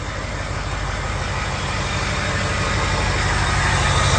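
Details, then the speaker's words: 6.0 L Power Stroke diesel after number 8 fuel injector replacement, previously missing: steady even idle with regular firing beat, no skips, exhaust smooth; all cylinders firing. "Okay, gonna start it. Pretty smooth. Yeah, this is sounding a lot nicer. We take a listen to the exhaust. Yeah, that is sounding way, way better."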